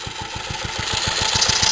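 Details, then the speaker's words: Restored J.A.P. Model 5 single-cylinder stationary engine warming up after a choke start: steady even thumping at slow idle, no knocks or clatter; runs smooth and healthy. "So I'll just let it warm up for a minute. So you can hear, no nasty knocks."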